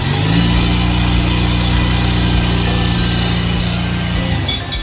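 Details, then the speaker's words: Verza 150 motorcycle whose complaint was a rough noise on the left side of the engine, after timing chain replacement and valve adjustment: steady, even single-cylinder idle with a smooth low thrum and no ticking or rattle, then shutdown. Normal idle. "Ini lancar, Pak. Sangat halus."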